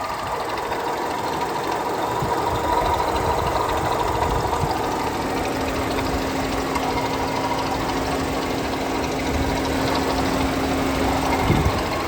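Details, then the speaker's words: Vauxhall Corsa at idle, under the bonnet: noisy, rough gritty whirr with a constant drone beneath; mechanics diagnosed worn water pump bearings, car not road tested. Water pump bearing noise. "as you can hear it's quite noisy so I had this started at the back when it first came in a couple of mechanics came out and just said water pump bearings"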